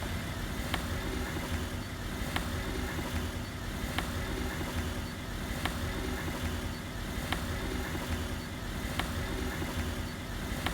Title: Стук в подвеске Volkswagen Polo